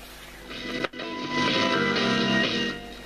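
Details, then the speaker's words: Defiant A23 three-waveband AC/DC valve radio after repair, on VHF/FM (up to 101 MHz) with wire aerial: clear music, clean tone, no hum, crackle or dropouts; playing normally. "And there's VHF or FM. You're on these sets, so it goes up to 101 megahertz on FM. But as you can hear, it's working."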